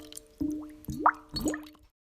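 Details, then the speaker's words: Buried water supply line to a building with high water use, pressurised from a hose spigot and heard through a ground deck plate: three wet gurgling plops with rising bubbly tone; the sound of the leak. "we're gonna listen for that specific boil check it out that's the sound of the leak"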